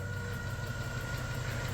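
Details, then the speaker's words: Ford F-350 with replacement 6.2 engine, first start after swap: steady, deep V8 idle with a faint, quick ticking and puff at each firing from a small exhaust leak. "Exhaust leak? I think a little bit, yeah. Little exhaust leak."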